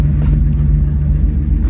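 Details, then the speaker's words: 2002 Ford Excursion V10, cylinder 6 misfire that followed the swapped coil, near exhaust: deep idle with uneven beat and small irregular pops, smooth then rough; failed ignition coil not firing. "so it'll be smooth for a second then that rough idle so that uh that coil is not firing"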